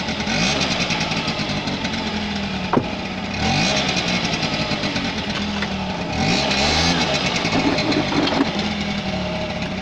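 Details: 1985 Honda Vision two-stroke scooter, previously flooded, top end drained by tipping the bike over; it catches and runs, its buzzy note rising and falling with repeated throttle blips, starting and running normally.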